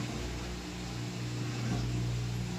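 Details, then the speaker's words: Frigidaire washer after repair (pump replaced, clothing removed from between tubs): steady low pump hum with soft slurping gurgle as air is drawn through once the tub is empty; normal drain pump gurgle. "you hear the water trick in and now it means it's empty already you can hear a little gargling"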